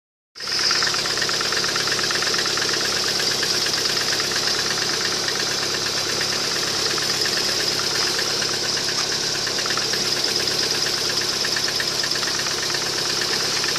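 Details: Lada Kalina 1.4 16-valve engine at idle: fast, light, uneven ticking knock about three per second; source unconfirmed.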